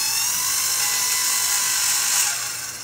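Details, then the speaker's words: Brand-new Regency i1500 wood-burning fireplace insert on first break-in fire, stove warm, blower switched on; loud steady high-pitched whine with no rushing air, fading as the fan winds down; owner suspects a bad bearing in the blower's electric motor. "so it sounds like a bad bearing or something like that in the electric motor in there"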